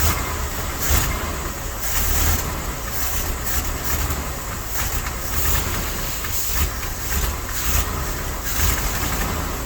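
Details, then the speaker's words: Dodge W300 Club Cab truck, low on antifreeze, compression about 130–140: loud, uneven lumpy idle, shaking hard, then stalls; missing on a couple of cylinders, cause unconfirmed. "I don't know if y'all can hear it and see it, but that thing's shaking like a leaf. Yep, it just died too. It's missing on, I don't know, a couple cylinders probably."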